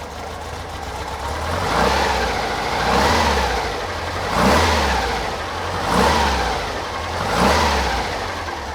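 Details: Car with Weber 40 IDF carbs after clearing clogged idle jets, sealing the air-cleaner base and adding idle-circuit snorkels. Clean, even revs swelling about every 1.5 s with no stumble or miss.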